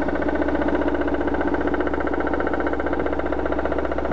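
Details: BMW 316i with M43 engine at idle: a regular light tapping, roughly three per second, rides over the engine. The owner wants the source identified before opening the engine; knock source not yet pinned down.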